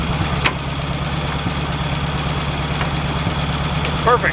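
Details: 1951 Buick Super revived after 40 years, idling after running out of coolant on a drive; smooth, even low idle with a steady firing beat and no misses, knocks or ticks; running fine.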